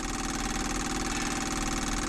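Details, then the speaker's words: Sailboat diesel that stalled and won't restart, fuel pump running with the bleed screw open, tank pickup clog suspected: a rapid, steady pulsing buzz that never slows or changes tone, sounding like it is pumping air. "let's hear if this slows down a little bit or changes tone that to me sounds like it's pumping air"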